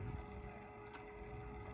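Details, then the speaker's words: Steady electric hum with a clear mid tone over low rumble, like a small pump, heard near the cab with the radio faintly audible: the wiper motor is switched on but stalled, the wiper having been damaged in an accident. "Wiper motor's switched on, look. But it's had a bit of an accident. I wondered what that noise was. It sounded like an electric pump or something."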